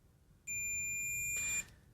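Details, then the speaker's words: Ohmmeter continuity test on a switching FET from a Yamabishi SF-PW switch-mode power supply (FREQROL-SF CNC spindle drive): one steady high beep about a second, a dead drain-to-source short that blew the current-sense resistor. "And as you can see from the drain to the source, that is a just an absolute dead short."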